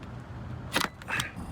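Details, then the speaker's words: Porsche Macan Electric at a DC fast charger, 26°F, about 390 miles on the car, 9% charge, charge restarted after a failed attempt; two crisp clicks half a second apart over a faint hum as contactors close normally and charging initiates. "All right, now I do hear the clicking. I had to restart it. It says initiating charging. That looks good. I hear noises. Contactors."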